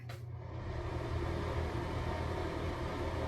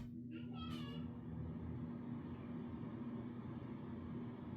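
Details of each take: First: now this is a fan that works and this is what it should sound Second: Low, weak hum of a bathroom exhaust fan running at very low power. After 5–10 minutes it makes a weird noise and barely works, compared with a normal fan; the cover is then removed and the fan inspected and cleaned.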